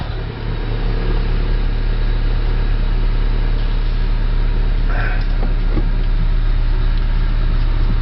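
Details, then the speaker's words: 1988 Honda Civic after replacing the failing ignition switch: smooth steady low idle, even hum, no knocks, misses or squeals; engine stays running and sounds healthy. "sounds like it's staying rain to me so sounds"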